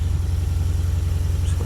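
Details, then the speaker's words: Junkyard 5.3 LS V8 in a 2002 Camaro, stock cam, just installed, around 1500 rpm with oil pressure fine, water pump gasket leak: steady, even low rumble with no knocks or misses; smooth fast idle, healthy engine. "got a good engine right on the fifth on the oil pressure right now about 1500 rpm so i'm good to go"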